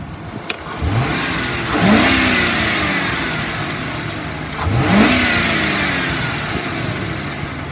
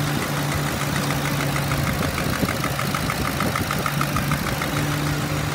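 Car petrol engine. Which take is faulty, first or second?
second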